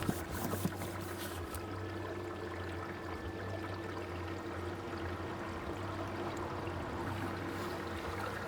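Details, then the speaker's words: Household washing machine newly connected to off-grid static caravan external plumbing (15mm push-fit, non-return and isolator valves), Express 30°C 30-minute cycle: soft steady water trickle hissing into drum over low even hum, no knocks or leaks; fill normal. "Can you hear it in there? Yeah, I can see it trickling in. Can you see it trickling"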